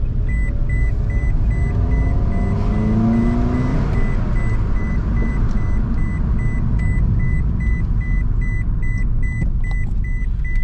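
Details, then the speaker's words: 2006 Scion tC, 5-speed manual, idling outside after head rebuild (leaky valve stem seals replaced) and new timing chain; previously clattered like a diesel from a failed tensioner. Now smooth, even low idle rumble, no ticking, chime beeping; normal healthy idle. "Alright guys, so I got the car outside, and first impressions after the head has been rebuilt and new timing chain and everything installed. This car has never worked this good in my possession."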